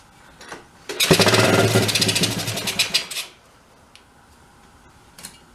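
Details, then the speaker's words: 1983 Suzuki 125 three-wheeler ATV, long stored, primed, with choke: catches, sputters ragged about two seconds, then dies; won't stay running, fuel pump system to be checked, cause unconfirmed. "yeah it runs for a second dies"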